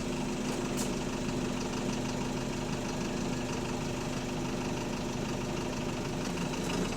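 Steady diesel idle with a faint, fast, even tapping riding over the rumble; sounds like a lower-end knock, though it isn't pronounced here.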